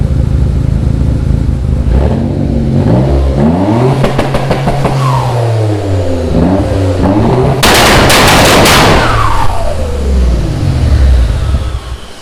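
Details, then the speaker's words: Dodge Stealth/3000GT VR4 with two-step and flame tune, fuel-cut launch limit adjusted: revs sweep under loose irregular metallic clatter and cracks, like a bad timing chain; engine later keeps dying, source unidentified. "I've never heard a car sound like that. It sounds like a three-wheeler with a bad timing chain."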